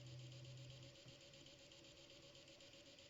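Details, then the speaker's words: Ender 3 Pro 3D printer preheating for PLA after corner leveling. A faint, fairly steady clicking at about four per second under a low hum; the owner hears this ratcheting noise and does not know what it is. "noise. I'm like, what is it?"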